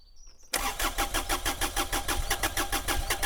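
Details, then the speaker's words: Mini-excavator three-cylinder diesel after bleeding air from the fuel lines, fuel pump replaced as preventive maintenance: cranks, catches at once and settles into even chugging at about three beats a second; normal start. "Allez, là on est bon, on démarre."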